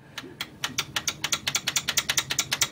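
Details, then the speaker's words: Biqu B1 3D printer while printing: fast squeaky chirping from the loose bed adjustment knob; tightening it jams the bed, and the part needs replacing. "you hear that it squeaks and it will drive you absolutely nuts but that is the only issue i've actually faced with this printer"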